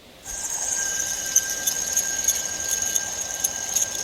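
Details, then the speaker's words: 2000 Dodge Dakota idler pulley removed and spun by hand: spins smoothly but gives a dry, rough whir with a thin steady high whine; worn bearing or gunk inside suspected, not confirmed, so it was replaced. "the reason why I decide to place this because although it still spins smoothly it's making that noise and there's probably gunk or something inside or it's just wearing down"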